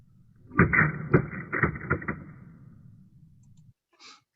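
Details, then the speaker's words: Cavitation tube demonstration in which pressure drops below vapor pressure and forms bubbles; five sharp cracks about half a second apart from the primary and secondary shock waves, then a fading rumble; vapor bubbles collapsing. "and then that shock wave dissipates and then there's a secondary shock wave that comes in and you can see all the bubbles in there and then that dissipates and then it just sort of balances out"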